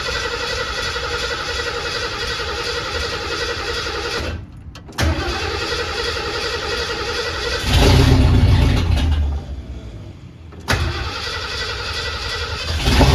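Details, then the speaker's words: 1979 Ford Bronco under restoration, first start after fuelling, no coolant in it; catches instantly and settles into a steady, even idle with a couple of throttle blips. Starts and runs cleanly. "it let's go right away did you hear that that really fired up instantly"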